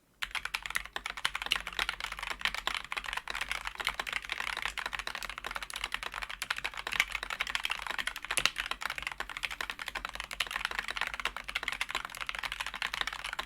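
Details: Wooting keyboard with Flaretech switches after lubing and filming, on a non-steel desk; even, soft, muted keystrokes without spring ping or housing rattle; smooth keyboard typing.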